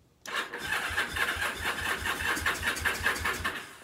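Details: Free Kawasaki KZ750 motorcycle: starter spins the engine at an even beat for a few seconds with no catch.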